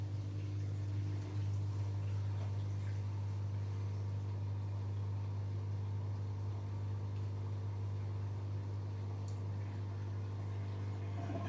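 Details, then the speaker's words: Zanussi/Electrolux IZ/XC-range washing machine in service mode, drain and spin test with an empty drum: a constant deep hum holds steady as the display reads 160–161, meaning 1600–1610 RPM top speed. No thumps or wobble; motor and drain pump work normally. "as you can see it says 160 160 and 161 which means 1600 1610 RPM the highest speed test machine can go"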